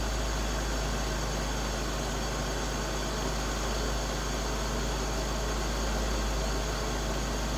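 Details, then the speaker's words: 2001 BMW E46 330i automatic idling just after a cold start following oil filter housing gasket, VANOS oil line and oil filter work; smooth, even low rumble with no knocks, ticks or hunting; normal idle. "it's running really good so far really good"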